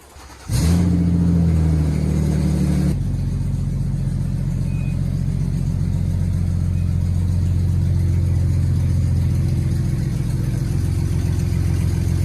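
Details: 1965 Mustang body on a modern frame, engine running with a shorty header-style exhaust that stops short but is sealed; it fires, flares briefly, then settles into a steady deep idle with open exhaust burble, running smooth and even.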